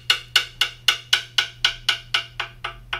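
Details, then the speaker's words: Coin (quarter) tap test on an impact-damaged carbon fiber mountain bike frame: bright clicks turn to duller, shorter knocks over the dead spot where hairline cracks are visible. "there you can hear that dead spot and yet again we'll zoom in on it we'll show you what it really looks like"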